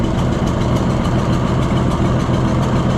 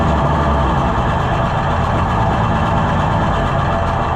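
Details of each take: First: Junkyard Oliver Super 77 tractor after new carburetor: rough, lumpy idle with rhythmic sucking chuff; air drawn past loose, bouncing intake manifold gasket, possibly causing its miss, with smoke from a bad cylinder wall. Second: Junkyard Oliver Super 77 tractor with new carburetor, in neutral: steady even low idle without misses or knocks over about eight seconds; running normally while low-speed needle adjusted, though it falls on its face when revved.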